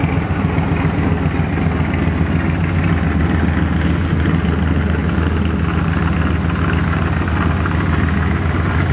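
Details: 1969 Chevy C10 454 big-block V8 idling just after a TH400 automatic swap, fluid not yet topped off: deep steady even beat, no clunks, whine or grinding from driveline; running healthy.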